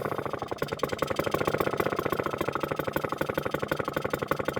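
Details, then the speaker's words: Vintage Atco kick-start mower with Villiers Midget two-stroke engine idling throttled right down; slow steady popping about four beats a second without stumbling; normal idle. "there's not many lawn mowers nowadays that sound like that isn't that just a beautiful beautiful thing"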